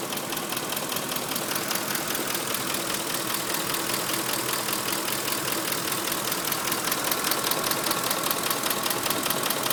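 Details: 2005 Ford F150 5.4 L, nearly 89k miles, Motorcraft 5W-20: crisp, light metallic tapping about 2.5 per second over smooth idle from top end; owner and two dealers suspect cam phasers, unconfirmed.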